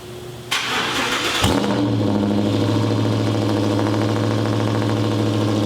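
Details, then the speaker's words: 2011 Ford Raptor SVT petrol V8, rebuilt wreck, first cold start after cab installed on frame: catches after short crank and settles into a loud, deep, heavy idle, diesel-like, louder than expected. "That is crazy. That's so loud."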